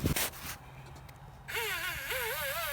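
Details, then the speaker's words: Traxxas Slash 2WD RC truck stuck off-road: high whine wavers freely with throttle but no drive; pinion apparently came loose and stripped the spur gear, missing many teeth. "the pinion came off it sounds like so yeah unfortunately stripped the spur gear pretty good missing a lot of the teeth"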